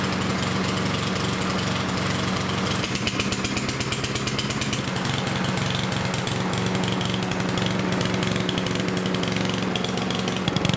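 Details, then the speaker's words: Yard Machines lawnmower with a Power Mower engine: flat, bogged beat that won't rev to full speed, as if choked; running rich because the air filter is soaked with oil and fuel. "I will start it up and you will see that it will run rich as if it's being choked"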